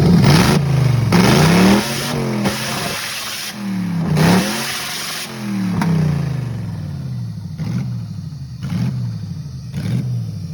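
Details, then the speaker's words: Toyota 1UZ-FE V8 race car engine, warmed up after owner's own rewiring, recorded on phone: strong clean revs repeatedly pulling smoothly to redline/limiter without misses or knocks; normal revving to redline. "Now, unfortunately, the main camera died, but I got a video of the red line on my phone, and here"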